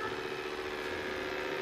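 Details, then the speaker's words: Dreame X40 Ultra robot vacuum newly unboxed, after freeing itself from a chair leg: loud, steady whirring drone with a constant mid-pitched hum, far louder than normal; cause unknown. "Mais par contre, le bruit est pas normal, j'ai un peu peur. Je sais pas pourquoi ça fait du brui"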